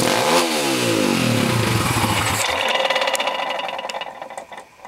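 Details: PitsterPro x2 pit bike engine revs up hard, then a loose metallic clatter comes through as revs fall away; source unclear, owner unsure of cause.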